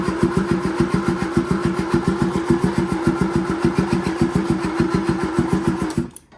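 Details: Series 2A Land Rover, rebuilt engine on first start attempts with temporary wiring and gravity-fed fuel; spark confirmed, fuel reaching it: starter turns over in steady pulses, about six a second, for six seconds without firing. Cranks but won't start.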